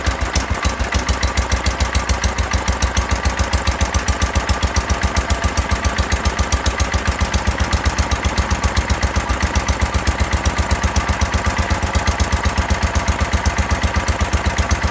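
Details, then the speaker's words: 1970 John Deere 140 tractor that would not start for lack of fuel, fired up after the tank was pressurized, idling at roughly 250–500 rpm: a low, steady, even single-cylinder putter. The engine is running normally. "Idling it like, I don't know, 250 RPM, 500 RPM, something like that."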